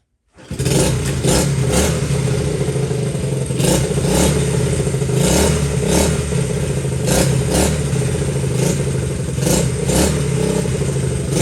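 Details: Honda XL70 K0 single-cylinder bike after restoration, started with the choke on one click: catches at once and settles into a steady, even putter with no knocks or misses; normal running.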